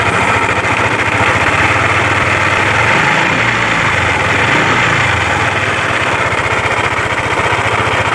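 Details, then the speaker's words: Yamaha Aerox scooter, noisy engine, reassembled with the CVT housing and primary pulley already checked: at idle a rapid, hard rattling knock that sounds like a slack cam chain, cam bearing or rocker arm, but is traced to worn connecting rod and crankshaft bearings. "Nanti setelah dipasang bisa teman-teman dengarkan kronologi suaranya seperti apa, biar teman-teman jadi tolak ukur bahwa suara seperti ini itu berpusat dari setang piston dan bearing kruk as."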